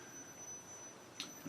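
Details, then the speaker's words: Brand-new Gotway Msuper V3 electric unicycle just switched on; thin, steady high-pitched electronic whine, cause unknown. "And I hear that whine that everyone talks about."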